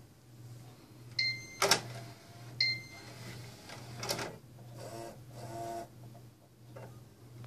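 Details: Xbox One disc drive gives intermittent harsh scratchy bursts over a steady low hum while spinning; it scratches the disc's inner ring and won't play discs, cause suspected.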